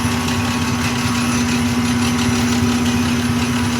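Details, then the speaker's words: Highland Park Shaping Machine Model SM1 (1 HP motor) at slow rotational speed, shaping an earring plug: steady motor hum with clear constant tone, no scraping; wheel no longer grinding material off, everything fairly quiet, so the cut is done. "And then you can listen to the wheel and you can hear the wheel, and you can tell when it's done because it's no longer grinding material off, and everything gets fairly quiet."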